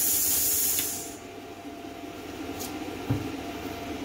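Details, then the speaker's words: Hynade PLC-50DP budget pilot-arc plasma cutter after a cut: sharp steady post-flow air hiss for about a second, then dies away to quiet room noise; post air set to about eight seconds, adjustable 2–20 seconds; normal. "seems just fine and you can hear the post air going i've got it set on about eight seconds right now it's adjustable from two seconds to 20 seconds"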